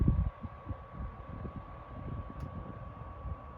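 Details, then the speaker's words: Toastmaster 16-inch DeLuxe oscillating table fan running with oscillation engaged; a steady, even motor hum with a faint constant high tone and no ticks, rattles or wobble. The oscillation runs nice and smooth: normal fan operation. "here's an oscillation now and pull this out just a little bit oscillation runs nice and smooth"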